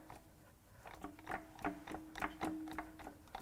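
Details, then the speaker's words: Blown Hyundai Genesis 2.0 Turbo Theta II G4KF engine, oil drained and spark plugs out, being hand-cranked slowly: irregular metallic clatters and knocks with each turn, and it is tight to turn over. Loose broken parts rattling inside. "Yep, something's loose in there."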